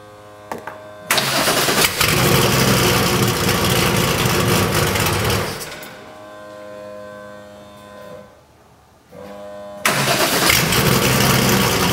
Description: Here's my Porsche 964 RSR attempting to idle. It can't because it is running too lean at idle.